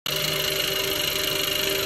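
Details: FG Falcon, engine warm: fast, steady light tapping over an even idle, like lifter tick, that starts only once hot and seems to come from below the valve train. Cause not yet found.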